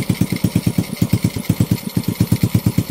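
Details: Honda Wave 125 idling on its first start after a top overhaul (new cylinder head, piston and rings, rebored block), carburetor not yet tuned: even, steady low thump about three pulses a second, no tick or knock, formerly smoky now clean. Normal idle.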